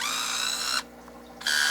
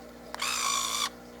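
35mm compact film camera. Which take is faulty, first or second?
second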